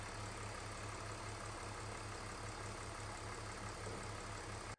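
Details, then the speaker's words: 2003 BMW E46 with M54 six-cylinder idling after the whining remanufactured alternator was replaced with a new Bosch 120 A unit; even, soft pulse with no whine or buzz, then clean shutoff; charging at 14.3 V; noise gone. "the old alternator is out the new one's in and I'm happy to report that things are running well so the noise is gone"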